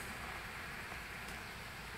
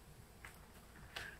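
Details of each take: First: MSI Sword 15/Katana laptop fan in default power mode while running Dying Light: soft even airy whoosh with no ticks or whine, quieter than expected; normal under load. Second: MSI Sword 15/Katana laptop being handled: three sharp isolated ticks in a quiet room, clicking when moved; owner suspects a loose case clip, not confirmed.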